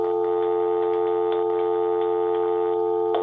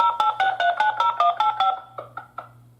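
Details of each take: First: Interlogix NX-8v2 alarm panel wired in series with the phone line, armed in stay mode during the last 10 seconds of the exit delay: a steady dial tone with faint clicks cuts out abruptly as the panel seizes the phone line. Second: Interlogix NX-8v2 alarm panel after a basement window opened and triggered an instant alarm: a quick run of about a dozen dialed digits then clicks; the phone line is busy on an active call, so the panel cannot report.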